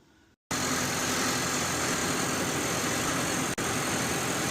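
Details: Normal idle of a car whose alternator charges the battery at about 14.18 V with the engine running, during a no-start diagnosis; smooth, even hum at a steady level with no knocks, misses or squeals, a healthy idle.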